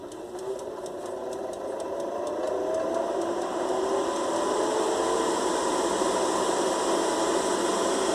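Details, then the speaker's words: Air fryer fan whirring with steady rapid knocking about three or four a second, opened and running; motor possibly loose from a missing one of three mounting screws that stabilize it. "Olha é possível seu problema dela seja apenas a falta desse parafuso que é em nota disse parafuso aí com ela E aí E aí ela passa a funcionar fora da do."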